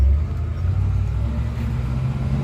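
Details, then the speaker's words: 1972 International 1210 V8 after intake gasket vacuum leak fixed, carb with 500 CFM #74 jets: prolonged uphill pull at steady quarter throttle testing for fuel bowl running out, deep even rumble, no stumble or surging, then hit and pulls eagerly; normal. "It's a longer pull. Not adjusting the gas at all. Hit it. Oh, it wants it."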